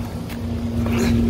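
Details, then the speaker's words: Carrier rooftop unit after replacing the sensor with a corroded terminal that prevented compressor start; cool Y1 output on, compressor comes up with steady low hum and constant tone, no knock or rattle; normal operation. "the sensor has been changed and now we see that it says cool y1 out is on and there we go cooling's running"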